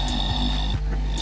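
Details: Household gas pressure booster pump (850 model), after repair: the magnet holder caused body vibration and loud noise. It now runs with a short, even low hum and faint high whine, no rattle or buzz, quiet and steady.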